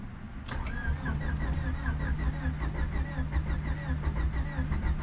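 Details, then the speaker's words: Honda Civic D-series turbo build (cheap eBay turbo), first start attempt after a year of building and oil priming: starter cranks at a steady even beat for several seconds but the engine never catches; fuel problem suspected, starting fluid next. "it almost started all right we're gonna try to put some starting fluid to see what happens"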